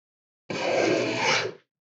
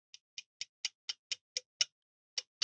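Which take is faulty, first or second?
second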